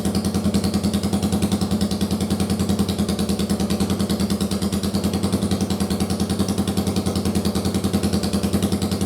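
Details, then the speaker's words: First-gen Yamaha Virago 750 V-twin, run off the bike on a bare-bones harness after rockers and cams were redone following damage from a backwards oil filter: steady, even idle at about 200 pulses a minute with no ticking or knocking, then a clean shutoff. "so that's all redone and we'll fire it up in a minute so you can see how good it sounds"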